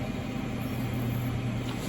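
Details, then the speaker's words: Rebuilt 8-bay QNAP NAS with 12 drives spinning up together at power-on: steady, even low hum with a soft higher whir, no clicks or grinding, and no shutdown. Normal drive spin. "See if it manages to spin up all these drives simultaneously. That hasn't shut down or anything, so I think it does manage to spin them"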